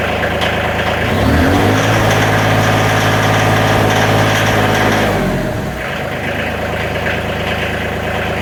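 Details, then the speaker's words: Tractor diesel with about 210 hours, after replacing the fuel shutoff solenoid because it failed to start over half the time: engine revs briefly under throttle then settles to an even idle with no misses, running smoother and more responsive. "it actually sounds like it's getting more fuel so I'm hoping that was the issue it seems like it's running smoother and more responsive on the throttle"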